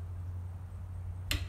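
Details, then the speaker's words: Lycoming aircraft engine during compression check work, tightening with torque wrench set to 35 ft-lb: one sharp, short click over a low steady hum as the wrench breaks over at set torque; bolt is tight. "a nice uniform pull i'm listening for the wrench to click that's when i know it's tight"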